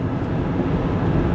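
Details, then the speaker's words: Small van at 100 km/h, window open, front wheel bearings just replaced: only steady tire and wind roar, no growl or hum; bearings sound healthy. "no more noise than there should be like tire noise and air noise and stuff so that's good"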